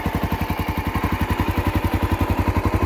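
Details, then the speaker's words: Honda XR650L single-cylinder idling on the stock exhaust tip after jetting adjustment: steady, even deep thumps about three and a half per second, throaty but clean; smooth, healthy idle. "This sounds great the way it is, so I switched it back out for the stock tip and played with the jetting a little bit, but for the most part, she's running good."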